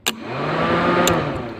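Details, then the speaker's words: Peugeot 205 diesel cooling fans forced on by jumpering 12V to the second-speed (parallel) circuit connector: a click, then fan spools to a steady even whoosh and smooth hum, no rubbing or rattle; normal high-speed fan operation. "Ça, c'est le circuit de deuxième vitesse. On entend le ventilo se déclencher à plein régime."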